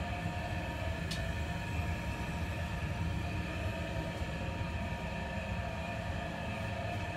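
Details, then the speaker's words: Ductable AC FCU indoor unit blower running: loud steady rumbling roar with several whining tones from worn blower motor bearing; noise stops when switched off by remote; unit to be opened. "बहुत ज़्यादा आवाज़ करता है, शोर कर रहा है, आप देख सकते रहेंगे।"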